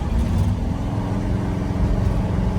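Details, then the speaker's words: Square body truck on the way to a car show: low heavy drone with uneven lumpy beat and rotating rumble underneath, not running right; cause unknown, owner suspects something simple; rough running with rotating noise. "The square body is making some noise. I have no idea what it is. Sounds like something rotating and it also ain't running exactly right."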